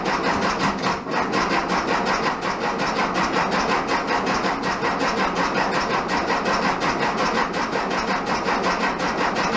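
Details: 1967 VW Bug, big-bore 2387cc engine, after fuel delivery fix: pops and runs briefly, loud rough uneven pulsing, barely holding on; spark weak on test light, owner suspects ignition, needs fine tuning.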